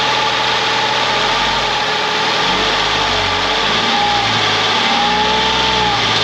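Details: Ford Mondeo ST220 V6, engine neglected in the past, first run after reconnecting breather pipes and vacuum hoses, partly reassembled; smooth idle with gentle blips rising and falling cleanly, no ticking or misfires; normal idle.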